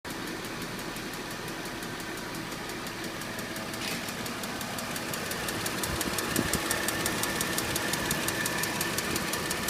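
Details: 2006 Mercedes C230 at idle: steady light top-end ticking nearly three a second over smooth idle, not louder when accelerating, no check engine light or misfire codes; cause unknown.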